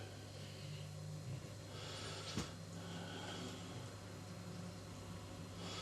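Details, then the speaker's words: Paraffin inverter heater that showed a constant E4 fault: the flame blower starts with a faint, steady low fan hum and one click, spinning smoothly and evenly with no rattle or labouring; normal blower running. "The blower started."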